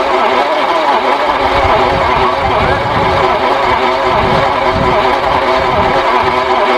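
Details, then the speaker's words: Daimler Mk2 2.5 V8 barn find freed from seized, distributor mechanical advance faulty and timing seemingly too far advanced; steady cranking with uneven firing thumps that never catch. Cranks but won't start, possibly fouled plugs from debris in bores. "okay that didn't want to fire though but whether it's about the plugs instantly from the crap we've had in there i'm not too sure"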